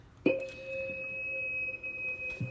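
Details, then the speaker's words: Drake TR4 transceiver on 40 meters: a pure, steady high squeal at one pitch as the RF tune is moved, showing the set is oscillating; it disappears when the antenna is removed, suspected antenna-related oscillation, not confirmed. "okay so you know that's not right and so it's going crazy [Music] if i take the antenna out it goes away so something can do with the antenna oscillating but it just shouldn't do that anyway"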